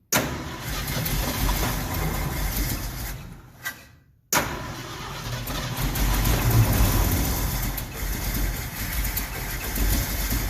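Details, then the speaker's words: 1969 Ford F100 first start after carburetor rebuild, float bowl empty; catches unevenly, dies, refires into lumpy stumbling idle; owner suspects added ball, possibly needle and seat. "Well, something doesn't sound right. It's got to be that ball."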